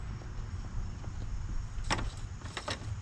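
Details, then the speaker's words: Push mower after a gasket replacement. Low, steady single-cylinder putter with a couple of sharp clicks; still slow to start, compression not the highest, but running evenly and fixed. "well it still takes a little to get going uh this mower definitely is not does not have the highest compression so it's all fixed"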